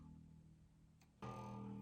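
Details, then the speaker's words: New Fender American Performer Mustang short-scale bass during setup: an open string rings with a faint buzzy rattle that traces to the headstock and stops when held there. It is probably nut related, not fret buzz. "that's the rattle if I hold it there it's not happening I'm going to say that that rattle is probably something nut related and I'm not inclined to mess with the nut just now"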